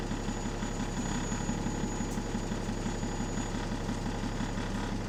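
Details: Bus AL DW486 on route 144 with an exhaust leak: sharp, regular puffing ticks about three a second ride over the steady diesel idle.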